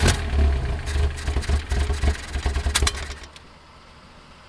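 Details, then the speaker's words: 1979 Lotus Esprit, carbureted, not yet warm: the engine runs without starting fluid but revs in uneven, ragged, stumbling surges before dying away. It is suspected to be fuel separation or a fuel delivery problem, possibly the pump. "not even starting fluid it's running it's clearly got some kind of fuel separation it sounds awesome"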